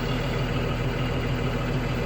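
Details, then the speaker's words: Spare diesel transit bus idling with parking brake on, regen light and high exhaust temperature indicator lit: steady low rumble with even, unhurried beat; normal DPF regeneration, shouldn't shut down. "we have high exhaust temperature all right so it's just doing a regen so it's a good idea not to shut down"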